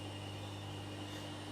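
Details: Bandsaw running unloaded after a blade change, with blade tracking checked and good before cutting jarrah: an even, steady hum with a low tone and faint high whine, no ticking or rubbing. Normal unloaded running.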